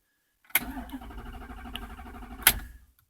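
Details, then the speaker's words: 2007 Dodge Charger R/T 5.7 Hemi cranks strongly for about two seconds with a steady chug but never fires; check engine light on. It earlier started after sitting overnight only once it had waited in accessory. Now a crank no start. "It's got plenty of crank power and everything, but uh yeah, turn the accessory. You know, I can't tell if I can hear it priming or"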